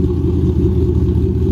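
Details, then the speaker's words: Cammed 3V Mustang (2005-10), 75,000 miles, custom tune, idle at about 1090 rpm: deep loping idle rumble with uneven lumpy beat; cam chop still there, one more idle step up needed. "No, the chop is still there. I think we have to go one more up, and then that should be good."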